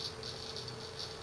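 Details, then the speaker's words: Seagate ST6000DX000 6TB 7200 RPM drive during 4K benchmark, gently moved: fast loud rattling seeks in pulses over faint hum when vibrated or tilted, with no performance change; cause uncertain. "if I start moving it I'm being very gentle with the drive very little change but it does that he goes into this loud seek mode you notice no performance change"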